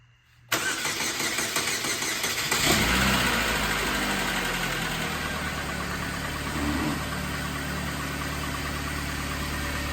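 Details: 2005 Chevrolet Malibu 2.2L, over 250,000 miles, first start after head gasket replacement on rough old spark plugs; cranks and fires straight away, flares briefly, then settles into a smooth, steady idle with no knocks or misses; normal idle.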